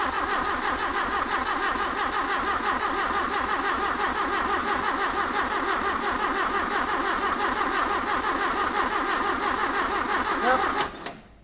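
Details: 1981 Toyota Hilux RN46 4x4 with 18R-C engine, rescued, first start: cranks, then catches and runs with a lumpy, uneven pulse near three beats a second; rough running, owner suspects timing slightly out, later seems on all cylinders.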